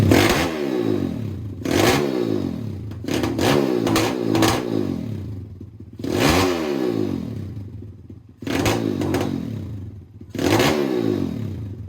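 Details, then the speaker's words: Pitster Pro X4 pit bike with newly fitted Daytona Piranha 190 engine, warmed up: repeated sharp throttle blips, pitch climbing cleanly and falling to idle, strong even single-cylinder bark; still needs carb tuning as it bogs if floored; healthy. "other than that she sounds like a beast"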